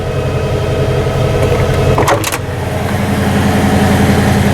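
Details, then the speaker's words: 1975 Ford E350 motorhome with a 460 V8 and C6 transmission, which suffers vapor lock and boiling fuel when hot: starts easily with a steady, smooth low burble at a good idle speed and no knocks or misses. "Starts nice and easy. I ran it a week or two ago. That's a good idle speed."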